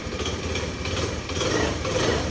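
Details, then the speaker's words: Honda Scoopy i scooter after repair of a knocking sound on throttle from a loose part in the belt-drive/clutch: idles evenly with a soft light putter, no knocking; noise about 90% reduced, considered okay. "ก็เบาลงประมาณ90%ครับผมถือว่าโอเคนะครับ"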